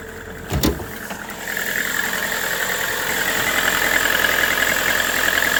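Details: Lada Vesta NG engine knock: engine catches and settles into idle with a steady rapid tapping running through it, an internal knock of unknown origin.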